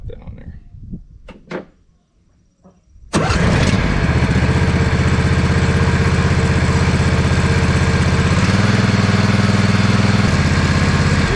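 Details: 2007 John Deere Z425 zero-turn with replacement Briggs & Stratton engine (44S977-0032-G1), muffler refitted, engine hot: catches after a few seconds, settles into even, steady, muffled fast thrum; normal running.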